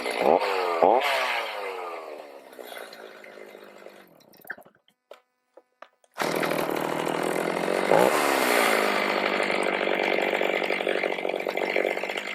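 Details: Stihl MS310 chainsaw after a no-start repair needing no parts, carb adjusted: crisp high scream to full revs, clean drop-off, then steady pull into hard cedar; running properly, cutting likely limited by dull chain and rakers not taken down.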